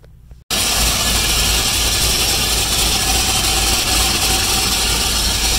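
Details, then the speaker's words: Freshly rebuilt engine, reassembled and running pretty good, then sounding loud and weird: thin tinny metallic rattle throughout a busy engine note, source unknown; owner pulled and cut open the oil filter to check. "in person it's definitely making like a tinny um rattly noise of some sort i don't know it scared me it scared me"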